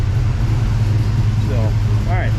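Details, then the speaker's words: '55 Chevy Bel Air hardtop after a loose power steering belt was fixed and an obnoxious fan blade replaced; warm with thermostat open and good oil pressure. Deep, steady engine hum without chirp or squeal. Normal running, no belt squeal. "no fan belt squeak or power steering squeak uh the uh fan blade itself uh no longer has the obnoxious sound so you can hear the the belt definitely got the belt fixed so yeah no more squeaky"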